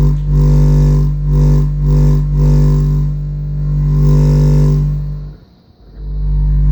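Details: AA Mayhem 18 subwoofer wired in series at 4 ohms, playing low test tones around 30–49 Hz: tones pulse on and off with a faint raspy buzz riding on the bass; subwoofer buzz on low tones.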